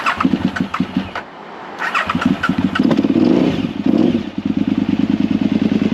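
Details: 2007 KTM 950 SMR (LC8 engine, carburetted, aftermarket fuel pump, about 4k miles in two years), carburettors last serviced about two years ago: repeated cranking bursts, a stumbling catch, then an uneven idle; hard cold start, possibly fuel-related.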